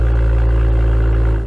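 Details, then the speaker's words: BMW M2 (N55) M Performance exhaust on cold start: loud low drone with buzzing hum as the exhaust tips, found misaligned, heavily vibrate for about 10–15 seconds. Exhaust tip rattle. "for some reason the M performance exhaust heavily vibrates for about 10 to 15 seconds during a cold start and it produces these vibrating noise as you can hear"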